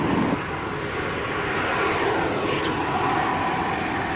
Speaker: You can see the refinery there. I'm sure you can still hear it too. It's actually quite deafening down here tonight.